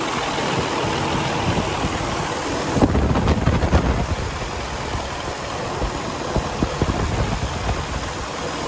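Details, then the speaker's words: 2012 Western Star 4900FA truck, DD15 diesel at 475 hp with 13-speed manual, engine raised to high idle: steady, even, strong idle with light clatter, no knock or miss; normal high idle. "Now, let's go out and have a listen to the engine running. I'm going to idle it up."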